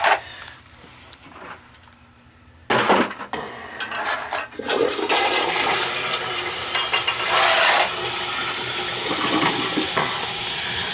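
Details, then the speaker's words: Small daycare toilet said to be leaking at the shutoff valve and under the tank: quiet tank, then strong rushing flush and steady refill hiss with no trickle between; the flapper seals fine after a light cleaning. "i don't see a problem with this one leaking maybe this isn't the toilet maybe it's another one"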